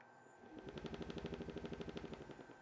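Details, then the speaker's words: Mango crotch dish blank on a wood lathe, cleaning the face with a 19 mm bowl gouge: a fast, even thumping at about ten beats per second. The blank's rim spins about 2 mm from the lathe bed, so that edge is being cut down. "Just gonna take this edge down just here, because this bit here is about 2 millimeters away from the bottom of the lathe bed."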